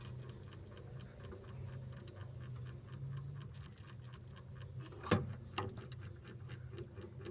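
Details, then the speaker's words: Two-door refrigerator, dead for a year, defrost timer under test: soft steady ticking about twice a second over faint hum, one louder knock; timer vibrating and working normally, in standby. "dia bergetar teman-teman lalu untuk membuktikannya ini nanti ini bekerja ini sekarang sudah bekerja ya"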